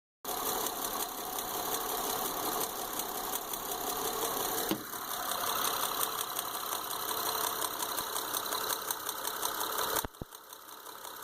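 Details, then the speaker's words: 2005 Honda Odyssey running rough: uneven ticking and puffing over a stumbling idle as the front middle spark plug has blown out of the head, leaking compression and misfiring; engine needs replacement. "Honda Odyssey running rough. So here's what we found on the Honda Odyssey, front middle spark plug. This one's going to need an engine. The spark plug and everything just pulled right out."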